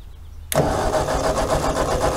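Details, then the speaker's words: Ford 8N tractor, long sitting, fresh gas, starting shot given: starter churns steadily with no firing; owner suspects no spark and plans to check the points. "stuff lay must not be getting any Spark"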